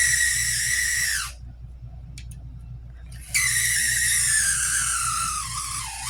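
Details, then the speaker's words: Cheap used HO scale model locomotive from an antique store: loud piercing squeal, steady then dropping as the small motor slows, cutting out and returning. A dry, worn motor; owner plans to open it up and look. "I mean, at least it runs, but it sounds like it's committing unalive. Like, it sounds like it just wants to die."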